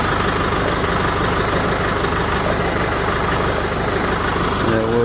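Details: Tractor idling as the three-point hitch lowers a freshly coupled CountyLine PTO post hole digger. Smooth, even diesel idle at about a steady beat, with no knocks or strain. Normal idle.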